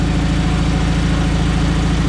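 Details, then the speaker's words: John Deere 317 garden tractor after reassembly, driving: low even engine rumble with steady beat, no knocks or misses; runs well, but had an intermittent shut-off backfire twice and top rpm seems around 3000 instead of 3450. "sounds really good runs really well it does have a intermittent shut off backfire it happened two times total"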